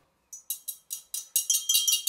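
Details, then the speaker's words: Sharp metallic clinks as a Burnac Vulcan model steam toy boiler is shaken: a loose internal part rattling inside, with degraded, dry-looking old soft solder joints making the boiler potentially unsafe. "when I shake the boiler you can hear the loose part rattling about inside"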